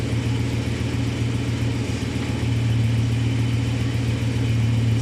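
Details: 1966 Plymouth Sport Fury V8 first cold start after fresh oil, original camshaft reused: deep, even rumble holding steady with no knocks or misses; smooth, healthy cold idle.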